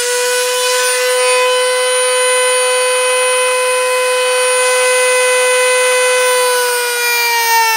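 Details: Jorgensen 120V corded rotary tool (10,000–35,000 RPM, six speeds) on top speed 6, cutting pine with a cutoff disc: high, steady whine that barely dips, no longer bogging down as it did at lower speeds.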